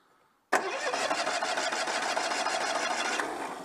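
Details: Citroën 2CV with suspected electronic ignition fault: starter spins the engine briskly and evenly for three seconds but it never fires; cranks but won't start, cause suspected not confirmed.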